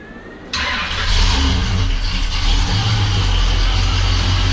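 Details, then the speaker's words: Freshly rebuilt 350 V8 in a 1969 Oldsmobile Cutlass, after cam break-in and coolant overheating (likely air in system): fires at once, steady slightly lumpy idle with even beat from mild cam; healthy. "we got a pretty mild cam in it that you can hear nice so that is a huge milestone reached we have the engine running"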